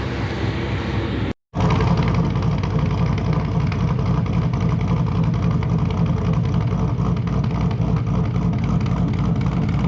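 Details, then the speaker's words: Cammed Whipple-supercharged GT500 V8 idling after first start following 6 months winter storage; loud choppy lope with uneven rhythmic burble; normal cammed idle. "Starting to get some nice cammed idle back. Really missed that sound."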